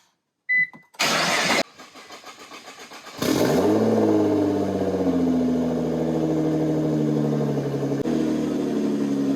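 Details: Wrecked 2016 Nissan GT-R, 37,000 miles, dashboard apart, key in backup slot: starter whirs briefly, engine catches with sharp flare, then settles to a steady high cold idle, smooth and even.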